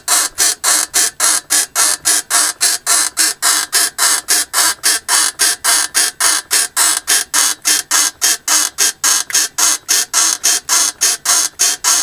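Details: Mercedes W220 rear suspension worked up and down: even, rasping creak about 107 times a minute; exact source not pinned down.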